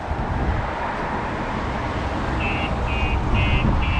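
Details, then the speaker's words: 2021 VW ID.3 electric car fitted with StarLine S9 smart alarm; door opened after unlocking as simulated thief, a high electronic tone pulses about twice a second over road hum: alarm going off and car immobilized, won't start. "as you can hear, the alarm is going off, and also I will not be able to start the car as well."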